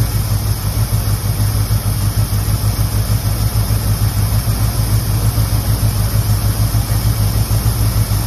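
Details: 1969 Ford, 52,000 miles, idling just after first start in 23 years: steady, even low V8 rumble with regular beat, no misses or knocks; still needs plug wires, burning off oil poured down the cylinders.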